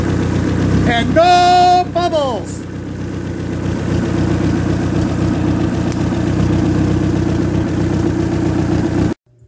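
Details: Ex-race Neon four-cylinder on a floor test stand: after start-up settles into an even, steady idle with no knocks or ticks; compression 180/180/175/180 psi, great oil pressure, healthy.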